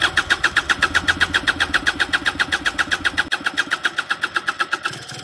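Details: Piaggio SKR 125cc scooter that would not start, test start after troubleshooting and reassembly: quick even chugging about six beats a second settling steadily, nothing irregular; normal engine start.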